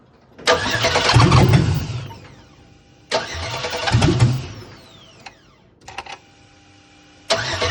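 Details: Engine with an LM7 under a crank-no-start condition: steady starter churn at about three beats a second in repeated two-second tries, never catching or firing; cranks but won't start.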